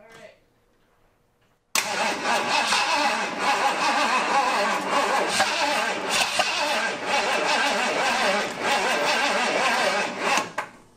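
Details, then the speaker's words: Flooded 1978 Ford F-150 V8, first start attempt: steady fast starter cranking about nine seconds with no catch or firing; turns over but won't start, needs battery charging. "all right this is the first start attempt on a flooded motor hit yep"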